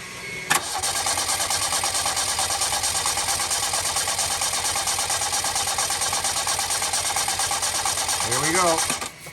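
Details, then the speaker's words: 1987 Yugo GV that sat for 15 years, new fuel pump installed, fuel line run into a water bottle, not in gear: steady even starter cranking about three turns a second, no catch; pump delivers fuel. "we're gonna crank it over and see if she squirts some fuel into her just make sure it's not in gear"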